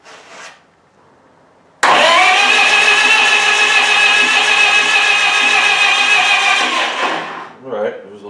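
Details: Miller Wildcat 350D diesel welder bought non-running at auction, after a battery charge and a starter key wire repair, with the throttle tied about halfway. The starter whirs for about five seconds with no firing and it does not start. The safety shutdown relay may need holding.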